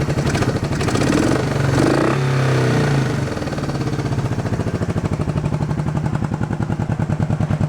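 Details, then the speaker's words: Honda CB350 twin. Lumpy idle with a dropped beat that smooths once revved: one carb has no idle circuit, so the left cylinder dies at idle. The muffler is also blowing out at the bottom, making that side louder. "And that side's louder because the muffler's blowing in the bottom right here, so that's why it's louder."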